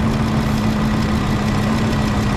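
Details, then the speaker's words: Ford 5.4 V8 just restarted after repair with customer-supplied parts, idling evenly with fast light clicking; injectors chattering loudly and a suspected lifter tick on one side, unconfirmed. "Those injectors are a little loud. You hear them clicking away? Yeah, oh, that's, I hear a lifter ticky-tick on this side."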